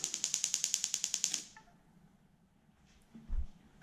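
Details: Link aftermarket ECU ignition test via PC Link on an individual-coil engine, cylinder three: rapid, even train of about a dozen sharp snaps; coil sparks strongly and consistently.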